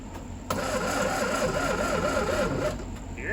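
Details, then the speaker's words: 1967 VW Beetle stored 34 years, first start attempts: starter labours slowly, about three turns a second for two seconds before engine briefly catches; slow cranking from dead battery. "that's just a dead battery"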